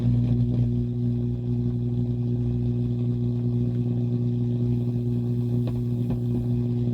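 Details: Akai AP-207 turntable on test after service, needle on a record: a constant loud, buzzy low drone comes through instead of music; hum fault, cause not yet found.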